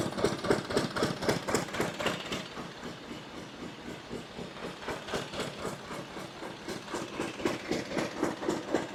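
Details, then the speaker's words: Glonet single-cylinder diesel, first run: slow, even thumping about four a second, steady and unlabored; running normally, governor spring tension makes the speed vary slightly. "All right. Well, it's running pretty good there. Hope you can hear me."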